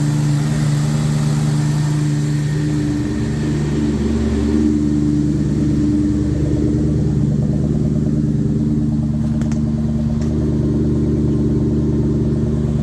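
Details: 2004 Mustang Cobra project, first start after wiring, tuning and fuel pressure set to 40 psi: a steady, even V8 burble holds a smooth idle with a light blip partway through; runs cleanly with no misses, though a major leak was found.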